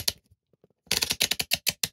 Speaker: you can hear it clicking.